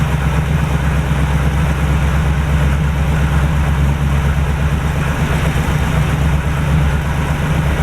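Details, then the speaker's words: 1949 Chevy started with a new battery after sitting since about 2005. Steady low idle rumble with a slightly lumpy beat and smoke from both exhaust pipes; owner suspects oil in the heads or leaking valve seals. Rough idle while clearing, not confirmed. "So we're going to crank it up again. Again, you'll see the smoke, whatnot. We're just going to monitor that, make sure that's not a bigger problem than I assume, and hopefully she'll clear up and run good."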